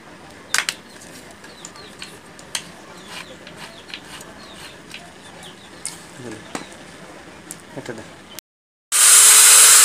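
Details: Grinder after repair of burnt carbon brushes, rotor coil change considered: quiet fiddling and clicks, then smooth high steady whine with no rattle or grind; running normally.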